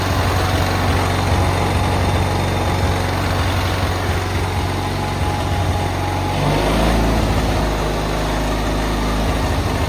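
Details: Cub Cadet 682 garden tractor with Kohler KT17 twin, first start with solenoid jumped: even low throbbing idle, steady firing, slight speed change near end, no knocks or misses; believed a good running KT17.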